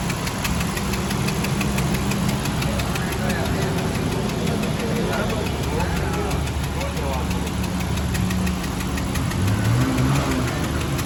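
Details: Honda Civic engine at steady low idle with uneven knocking, roughly four per second; engine knocking, cause unknown.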